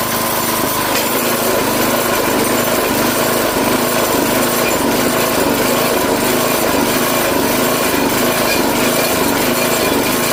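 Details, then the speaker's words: Craftsman 5 hp tiller after quick carb clean, running on more than a quarter choke: small engine runs fast but the beat wavers and stumbles unevenly; partial clog remains in carburetor. "Alright, so just running it there, you can hear it's still stumbling a little bit more on more than a quarter choke, so there is still a partial clog in it."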